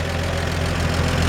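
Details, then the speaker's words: 1947 Chevrolet 3100 pickup, original 216 inline-six, 12-volt conversion with new alternator: steady even idle with faint lifter tick and small squeak, maybe belt or humidity; healthy original engine. "But you can just hear the lifters in there. It's just nice and healthy. That's a 216."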